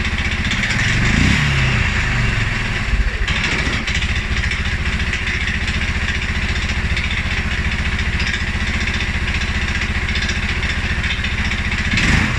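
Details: 2011 Polaris Sportsman 550 XP that stumbles cold and after riding or revving. Low, uneven single-cylinder idle with a lumpy, stumbling beat around 220 a minute. EFI sensors TPS, IAC and TMAP are in spec; valves, timing, plug and 43 psi fuel pressure are fine. Rough idle, cause not pinned down.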